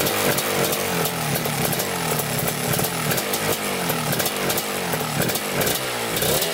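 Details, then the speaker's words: 1987 Kawasaki Tecate 4 250cc two-stroke quad, after backing out the fully closed air-fuel mixture screw: crackly buzzy idle holding steady without stalling or hunting. "Alright guys, we got her idling. The air fuel mixture screw was screwed all the way in, so that's why it wasn't running right."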